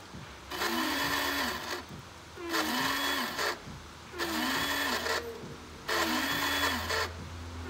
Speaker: miren el sonido y está cambiando [Música] ya no soy yo así como que que se estuviera arrastrando el motor